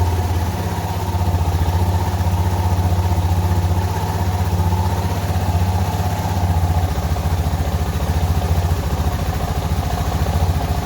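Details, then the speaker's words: Suzuki DR650 single at idle right after fitting K&N air filter and UNI breather filter replacing stock, with less of the former popping and backfiring; steady, even thump with no stumbles or skipped beats, sounding healthy. "You can actually hear a little difference in the engine sound, which is, it's not surprising."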